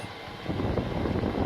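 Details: Newly installed Chinese diesel heater in a UK van conversion, running: steady, even whoosh of air with a low hum and no rattles or scraping; heater blower running normally.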